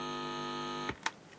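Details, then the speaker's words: 1979 Maplin 5600S analog synthesiser amplifier: steady mains hum, then clicks and quiet once the output ground is connected to ground; hum possibly caused by lost ground connection after removing amplifiers. "Quiet. Nice and quiet. Turn on the keyboard. There you go."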